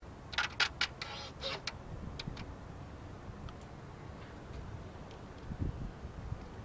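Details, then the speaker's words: 2013 Ford Focus SE, engine off, parked, after opening the front door: sharp dry clicks then fainter sporadic ticks for 3–5 minutes, seeming to come from the engine bay rather than the battery; cause unknown. "Matt I can't pinpoint where it's coming from it's actually it almost it doesn't sound like it's coming from from the battery it's actually sounds like it's coming from more over in this area of the engine"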